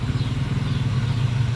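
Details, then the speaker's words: Daihatsu Gran Max after valve clearance adjustment, freshly refitted engine not yet run in, idle slightly high. Low, steady idle hum with even pulses and no top-end ticking, whereas before the adjustment valves and camshaft knocked loudly. "Jadi suaranya halus ya, suaranya halus. Ee apa namanya? Tidak teruk."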